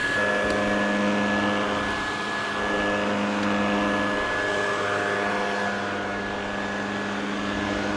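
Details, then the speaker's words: Refurbished Electrolux Z504 vacuum cleaner running with its facelift back on; smooth, steady motor hum with an even whine on top, no rattle or surging; runs sweet and sounds amazing, normal. "sound in sweet running sweet looking sweet facelift finally put on after all this time there we go it is now original and just sounds amazing"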